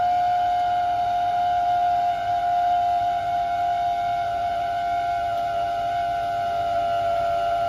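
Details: Beko DSX83410W condenser dryer: loud, steady high-pitched whine from the condensing water tank / pump area, drifting slightly lower in pitch.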